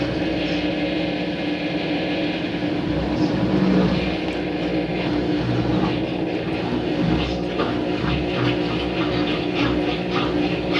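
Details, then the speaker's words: Ative washing machine self-test, spin step entered automatically after draining: continuous even drone with low hum and faint repeating swishes; normal spin noise, test then finishes. "Esse barulho é normal que ela faz. Aí, o teste terminou."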